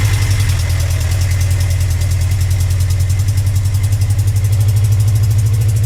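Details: Motorcycle cold start after sitting 4 months: steady low idle thrum with sharp quick tick matching firing pulses, caused by an exhaust leak.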